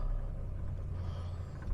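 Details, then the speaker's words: 1966 Jaguar S-Type 3.8 manual overdrive, just started cold: deep, slow, lumpy, very low idle; the cold-start hisser device isn't working because its switch is not connected. "now the hisser is definitely not working because the uto switch is not connected"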